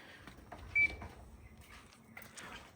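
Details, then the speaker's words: 2009 GE AEW05LMS2 5200 BTU window air conditioner with an LCDI plug, plugged in. One short, soft mid-pitched beep over a quiet room, pleasant rather than shrill: normal power-on beep. "Uh I will say um as much as everybody does not like beeping electronic controls um that was a fairly pleasant beep. It's nice. It's not like shrill and loud that everybody else is complaining."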